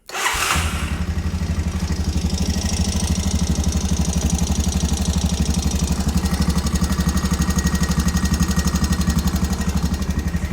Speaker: Not sure if you can hear it, but it is ticking pretty loud. And who knows when the valves have been adjusted on this thing.